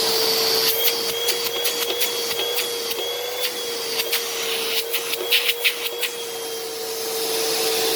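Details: Upright vacuum running in carpet mode; steady motor whine with even airflow hiss and a few light clicks from the carpet, running normally.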